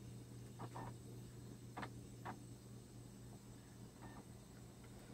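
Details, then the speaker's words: Laptop optical drive trying to read a scratched burned CD: quiet motor hum with irregular faint clicks and whirs about twice a second as it keeps seeking and retrying; unable to read the disc. "and I perfected nothing's happening if you're trying and trying and trying it sounds like it's trying very hard I mean II but I don't think it's ever going to find anything to read"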